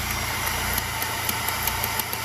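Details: Honda Grand Civic carburetor at steady idle with light, irregular clicks from the carburetor as the power jet piston moves normally; small idle air-mixing passage (around size 100) can shrink or clog with dirt.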